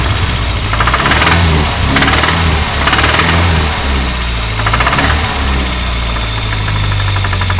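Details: Renault 25 engine running: sharp metallic knocks, unevenly spaced about once a second, over the idling engine. A clear engine knock whose cause the owner is asking about.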